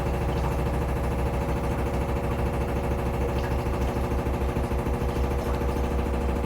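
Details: Samsung FlexWash upper washer on Delicates cycle, light load of clothes: steady drum rumble with regular thumping during fast spin, machine shaking, not touching the dryer; banging during spin, cause unclear.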